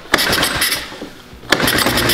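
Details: 1969 Roof Palomino lawn mower Jeep engine with a new plug and starting fluid in the carburetor throat: two short cranking bursts catch and pop briefly, then fade; fires on starting fluid but won't keep running.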